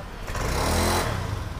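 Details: Honda Scoopy scooter that stumbled on initial throttle despite good fuel pressure (40.3 psi), injector and new air filter; after replacing the ignition coil, a quick throttle blip rises cleanly and drops back to idle without stumble or misfire.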